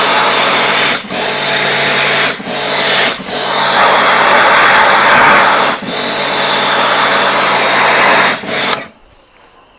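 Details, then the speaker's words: Pressure washer cleaning a vandalised Fiat 500 Sport: steady hiss dropping out briefly about five times in nine seconds, then stopping; machine cutting out because of very low water pressure. "you can hear my um machine cutting out a bit we've got really lousy water pressure here so it does that unfortunately"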